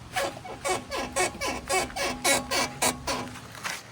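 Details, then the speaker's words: 1986 Honda Prelude Si on new shocks, new pads and rotors, 15-inch wheels: rhythmic high squeaks about two per second while driving, happening every drive; suspension squeak whose source is not yet found despite the shock replacement. "I put new shocks in because I do have a squeak, and I can't really find it yet. I'll see if you can hear it."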